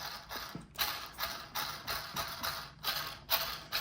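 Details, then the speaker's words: Kyosho Outlaw Rampage Pro RC truck, before spur gear swap: throttle blips give gritty, hissy gear rush, noticeably better with no piercing high-pitched whine left. "it's noticeably better it's not silent but hopefully it just gets rid of that crazy high pitch wine"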